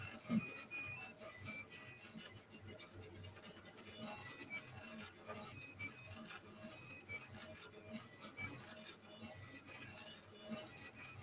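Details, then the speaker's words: Flsun QQ-S delta 3D printer, newly assembled, while printing: faint high chirping and ticking over the steady motor hum; source unclear, print unaffected. "well whatever's making that noise it's not bothering the print at all and it didn't change much since it went up"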